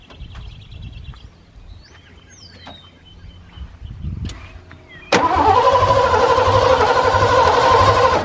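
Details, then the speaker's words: 1989 Ford F-150 with original 5.0L engine and new battery: starter cranks evenly, about four beats a second for three seconds, but never catches. Crank-no-start; owner suspects no spark or fuel (carb flaps barely opening), cause unconfirmed. "it turns over but will not crank the the not turn over excuse me you can hear the starter trying to crank it but it won't crank"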